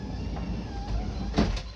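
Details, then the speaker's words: Modifero MOD-03 dual-motor automatic sliding door on a Ram ProMaster, after toggling a feature off: soft motor hum as the door travels smoothly, then a solid latch thump; it still closes fully and normally. "Nothing. It's still working completely normal. Which is great in my book."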